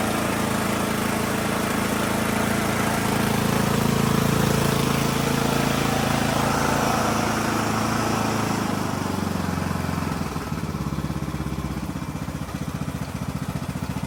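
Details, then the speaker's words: Poulan Pro PP175G42 riding mower that had sat outside for years, key-started on battery cables, with no milky oil: it catches and settles into a steady, even idle with a regular low beat and no knock or miss. Normal idle. "But I'll take it. It runs. It idles. It sounds great."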